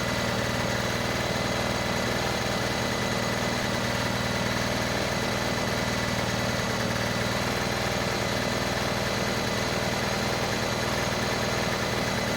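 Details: Rusty Honda 6500 W electric-start generator warmed up: steady even hum, no knocks or surging, settling to a smooth lower idle; rpm came down, normal warm idle, though no electricity produced yet.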